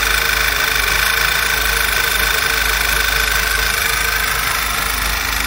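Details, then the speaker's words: VW Passat B7 1.8 TSI petrol at idle: uneven shaking idle with a steady high whistle like air being sucked in, appearing when warm; PCV breather membrane apparently torn or valve sticking, breather replaced with new. "Ну ладно в общем меняем эту деталь проблема в этом вот ну неровной работе двигателя в этом свисте Сапун там видимо рвется мембрана или остановится Дубовая клинит"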